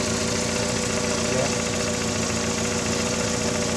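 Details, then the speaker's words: VW Gol with CHT engine, valves adjusted without change: quick light ticking, roughly three or four per second, over steady idle, from play in the clutch shaft support; mistaken for valve noise. "Então galera o eixo aqui da embreagem ó tá com uma folga aqui"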